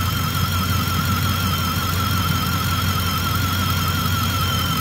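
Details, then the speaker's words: 2010 Ford F-150 5.4 E85 truck: steady high squeal with slight warble over the running engine, located at the alternator with a screwdriver stethoscope; owner suspects a bearing, plans to pull the field wire to check; squeal. "it's right at that sound where it's annoying so when it gets a little worse I want to pull that field wire off and see if it changes"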